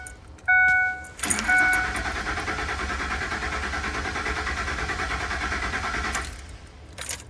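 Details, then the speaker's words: 2006 Ford F150 cranking with the 20 amp fuel pump fuse removed: the starter spins the engine steadily for about five seconds but it never starts, because the fuel pump has no power. "Hey, here's what the crank and no start sounds like with the fuse removed."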